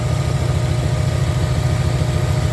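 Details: 1994 Camaro Z28 V8 idling after alternator and serpentine belt replacement: deep, steady even rumble with no misses, knocks or squeals; running smooth again.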